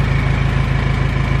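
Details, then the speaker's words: Cummins R2.8 diesel swapped into a 1997 Jeep Wrangler, first start-up after priming the fuel system: steady fast diesel clatter with an even low throb, no misses or knocks; healthy, smooth idle. "it sounds good"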